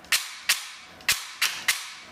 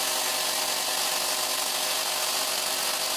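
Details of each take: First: APS V2 airsoft gearbox with new piston and brushless motor fitted after the piston lost its lead tooth: five sharp dry cracks of piston slap, almost no gear noise or motor hum; gearbox cycling fine. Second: APS V2 airsoft gearbox stress test with M120 spring, new piston and rack, T238 brushless motor: a steady thin whirring grind as the motor spins over stripped teeth and firing stops. Motor a little warm, pinion fine; the bevel gear teeth have sheared.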